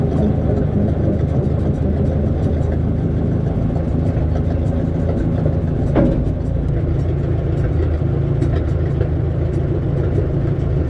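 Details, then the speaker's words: 1957 Case 310 Terratrac loader, not run in over 20 years and thought seized, now running: steady deep, even low beat with no misses or knocks; heavy, good compression, normal running. "yeah you can hear the compression it's pretty heavy compression yeah it's got good compression"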